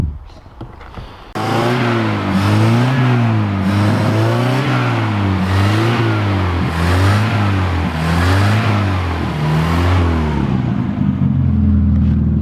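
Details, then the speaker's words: 1967 Toyota RT40 Corona four-cylinder, first run, kept running after fuel drawn through: catches, then revs up and down smoothly with no knocks or stumbles; all gears and reverse work; normal running and revving. "all right it sounds pretty cool too i just um put it through all the gears every gear works and reverse"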